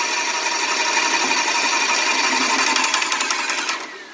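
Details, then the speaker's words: Graco 390PC airless sprayer pump after rebuild, run in water: fast, even stroking that stops cleanly when the trigger is released, with no hiss from the fluid section and no prime valve leak; normal pump cycling. "now we let it sit for a couple seconds so it's not stroking here immediately after we let go of the trigger we don't hear the hissing from the fluid section we don't see a leak from the prime valve"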